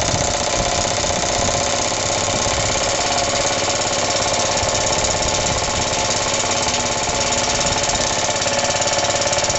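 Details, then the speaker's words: Rebuilt Suffolk engine on first cold start, choked and rope-started, with a starter bolt missing: steady mid-speed run with a loud, rapid, uneven knock that wasn't there before. Possibly the clutch or shrouding, unconfirmed. "I can't remember it making that noise it runs rest assur it never used to make that knocky noise so I don't know what the hell's going on"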